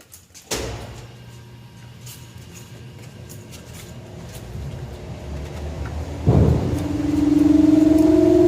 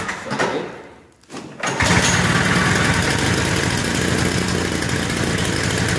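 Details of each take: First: Lawn-Boy Insight single-stage snow blower after service with a new spark plug, exhaust hooked up: fires after a quiet lead-in and settles into a steady, even buzz with no surging; running stable. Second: Lawnboy Insight single-stage two-stroke snowblower on 50:1 mix, complaint of RPM bouncing, started cold on choke and prime. Busy two-stroke buzz whose speed wavers slightly up and down: idle speed surging while cold, to be checked once warm.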